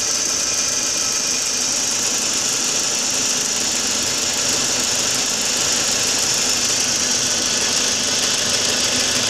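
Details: 2004 Audi A4 B6 1.8T petrol, just after a new water pump (cracked impeller caused overheating) and new timing belt: rough uneven idle with a knocking pulse under a hissy high-pitched engine-bay noise.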